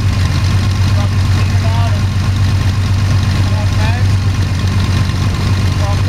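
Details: Sonex homebuilt aircraft, Jabiru 3300 six-cylinder engine with Rotec TBI, about 50 hours, first engine start after throttle set a quarter inch and mixture full rich; EGTs 700-800F; deep steady even idle, no misses, knocks or rattles, sounds really good.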